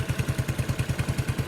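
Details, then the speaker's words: Yamaha Neo 115 scooter idling smoothly with even low thump after greasing the kick-start shaft that was rubbing; strange noise from the kick-start pedal gone, normal idle after repair. "uma graxinha ali parou acabou o problema"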